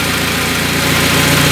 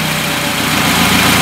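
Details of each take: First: Carbureted car with second-generation LPG kit, running on gas after the idle is set with the brass screw. Even, steady idle with a constant pulse and no hunting or stumbling: normal, stable idle. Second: Carbureted car on second-generation LPG system during reducer diaphragm adjustment: heavy, slightly lumpy idle with hissy edge, gas smell as the reducer floods in too much LPG; rich mixture on LPG.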